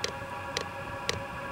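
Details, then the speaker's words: First startup of a VEVOR 27,200 BTU diesel air heater: crisp, even fuel-pump ticks at about twice per second over a low fan hum, starting apparently after the glow plug heats. Normal dosing-pump pulsing. "there it goes now fuel pump's ticking in I think it was waiting for the glow plug to heat up"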